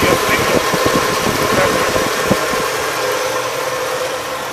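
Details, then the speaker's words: 1985 Oldsmobile Custom Cruiser 5.0 V8, squeal fixed by removing the power steering belt: even, steady idle with a soft regular pulse and no belt squeal. "I don't hear no squeeze no more"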